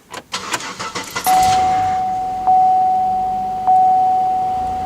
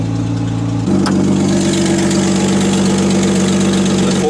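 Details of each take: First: Cold start around 14°F with a GM 3.8-litre 3800 Series V6: brief cranking catches quickly and settles into a smooth even idle, no knocks or misses; healthy cold start. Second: Loud, deep exhaust drone over a fast, steady cold idle right after a cold start; exhaust is loud when cold and quieter once warmed up.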